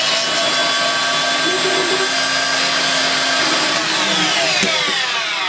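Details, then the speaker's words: Electrolux Twin Turbo Z522 vacuum after refurbishment, seized burnt top motor bearing replaced with new 6-series ZZ bearing: steady high-pitched motor whir with clean airy rush, even and unchanging; healthy motor run. "there was a brand new six height Zed Zed bearing on it and it's beautiful now it works really really well"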